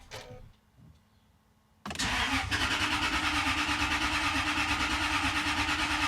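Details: 1998 Jaguar XK8, fuel pump just replaced after reportedly burning through two, ignition cycled several times to prime: starter turns the engine over with an even churning pulse but it never fires; cranks without starting.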